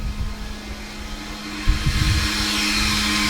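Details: 12-volt 3-inch vent fan for the battery and electronics cabinet (charge controller, inverter, batteries) in an ambulance conversion: steady, loud vacuum-cleaner-like whoosh with a constant low hum; normal fan operation at high speed.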